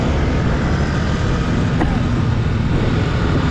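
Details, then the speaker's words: Yamaha Mio Sporty scooter on a short ride after a new CVT belt and cleaning: a steady, even low drone with no slipping whine or judder from the belt drive, quiet and no longer heavy on fuel. Normal running. "Ayan, ang ganda ng tunog ng makina eh. Tahimik lang eh, hindi siya gigil eh."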